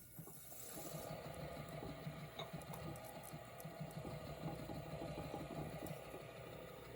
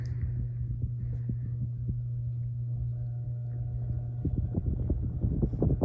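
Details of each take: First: NuTone Verandah Deluxe ceiling fan motor after rewiring the switch housing and oiling its stiff bearings with WD-40: steady soft whir with a faint even rattle and no grinding, runs smooth. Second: NuTone Verandah Deluxe ceiling fan after rewiring and bearing oiling, at highest speed: steady low motor hum with soft irregular throbbing thumps; fan vibrates slightly, causing the noise.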